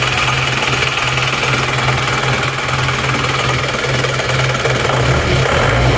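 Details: Isuzu Panther diesel with good compression (about 28 bar) and serviced nozzles, complaint of low power. Hard, harsh clatter through the whole idle with cabin vibration. Diesel knock from injection pump timing set too far advanced.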